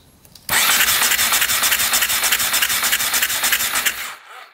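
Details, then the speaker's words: 2001 Husaberg 500cc supermoto, sitting over 15 years, spark plug wet with fuel: fast, hissy electric-start cranking for about four seconds with no firing; turns over but won't start, no spark found afterward. "All right, electric start is now miraculously working. You can hear it turning over the engine."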